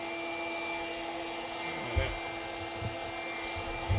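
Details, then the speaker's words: 2003 Chrysler Crossfire, 3.2 petrol V6 (Mercedes engine), codes P0106, P0410, P0151; secondary air pump run via scan-tool actuation test; steady electric whir, pump working; switch-over valve or ducting still suspected. "so that's it there so that's certainly working i would say that's the air system so that proves that pump's working"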